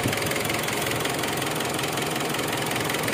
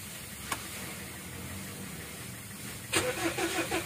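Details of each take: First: Mitsubishi Strada Triton GLS common-rail diesel after repairing its no-start fault: even diesel clatter at steady idle, regular beat, no misses or extra knocks; normal diesel idle. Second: 2014 Mitsubishi Strada Triton GLS common-rail diesel at 176,000 km that won't start unless primed with petrol: it cranks steadily for about six seconds without firing. The check engine light is normal.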